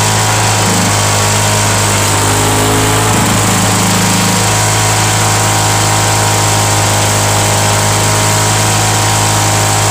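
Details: Mulching mower on cold start, non-original primer, broken kill switch held with vise grips, small gas leak: steady loud drone with a harsh raspy edge at constant speed; loud because the exhaust is loose.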